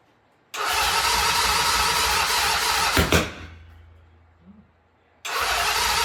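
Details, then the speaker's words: 1975 Norton twin at first start after rebuild, both carbs tickled: strong cranking for about 2.5 seconds, then it winds down without catching. Ignition timing had been set wrong and was then readjusted. "Alright, well that previous attempt was basically a disaster. But we did find out that we set the timing up wrong."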